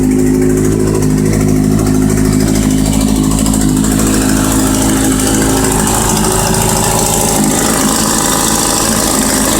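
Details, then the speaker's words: Kawasaki Z750, cold: loud idle with a metallic buzzing rattle riding on the firing beat. A plate at the mouth of the exhaust header cracks and rattles, a known Z750 problem often mistaken for engine knock; not an internal engine fault. "é um probleminha no coletor entendeu galera o coletor que trinca na boca lá uma chapinha e fica fazendo um barulho feio tá ligado"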